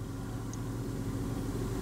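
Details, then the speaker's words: Hyundai after ignition switch swap, which owner hopes cured the starter engaging on a false start signal: low, steady idle hum with no starter whirr or grinding; engine runs smoothly and evenly. "I don't hear anything all here is my engine I don't hear the starter motor screwing up giving being given a false signal to start"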